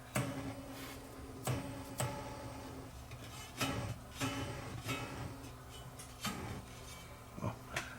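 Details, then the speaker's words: Hughes & Kettner TubeMeister 18 amp that goes into protect, recorded through the speaker on the camera mic: each tap returns a sharp clunk with a short ringing tail, about a dozen over eight seconds. Microphonics. "that was the spring making that noise called microphonics"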